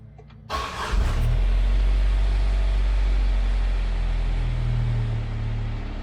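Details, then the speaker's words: "JJ" starting after a catalytic converter was installed to cut exhaust drone: a quick crank, then a loud deep rumble settling to an even idle. It reads about 75 dB against 60 dB ambient, with little audible difference. "About 75 decibels, and honestly to my ears I can't really tell the difference."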